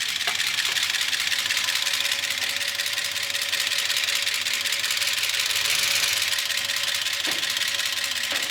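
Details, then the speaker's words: Gen 6 454 big-block Chevy in a 1976 C30 dually at low idle, revved after a minute or two with no oil reaching the top end. A dry, busy metallic clatter: lifter clatter from oil starvation. "Well, as you can hear, it's not sounding good. It's been a minute or two. I've tried revving up the engine. There's nothing. No oil is getting up to the top."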